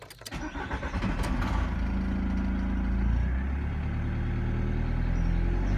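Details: VW T4 van, ABL diesel, after fuel filter replacement: cranks briefly, catches within a second and settles into steady, even idle with no knocks; normal start and idle.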